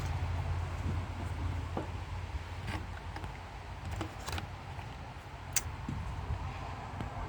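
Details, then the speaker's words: 1968 Dodge Sweptline pickup that had been revving up too fast, after replacing a broken vacuum cap on the front of the carburetor and refitting a loose spark plug wire: quiet, steady, even idle with no misses or hunting. "That's more like it, I think."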